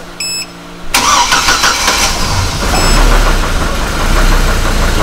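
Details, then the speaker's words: Copart Hummer H3 with a stalling issue, started after the intake and exhaust camshaft sensors were replaced: cranks, catches, then a ragged, lumpy, unstable idle and dies again; owner suspects the computer hasn't yet recognized the new sensors. "really rough idle died again"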